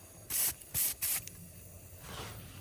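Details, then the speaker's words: Tozalazz 12V portable air compressor hose threaded onto an aired-down tire at about 16 PSI: three short, sharp hisses of escaping air, then a fainter steady hiss. Owner suspects the check valve. "I've got air coming out somewhere. Oh, so there might be a check valve or something wrong."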